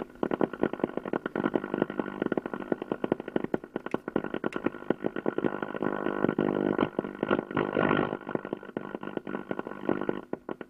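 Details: 1953 Ever Ready Sky Queen battery valve radio. On power-up with the volume up, a loud buzzy drone with rapid pulsing flutter: unwanted droning noise, cause not yet found.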